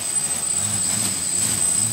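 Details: Flame Wheel F550 on a 4S battery with DX8 transmitter, motors armed during setup: even high-pitched whir surging a little as they correct level, then settling; motors normal.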